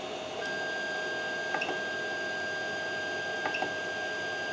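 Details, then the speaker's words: Creality CR-10S 3D printer after fitting NEMA 17 stepper vibration dampers, X and Y axes moving after homing: soft steady stepper hum, faint tones, light ticks, no harsh buzzing; axes move quietly, normally. "move the X and y-axis they have this is really quiet wise and I think that's the that's the case with the with the glass"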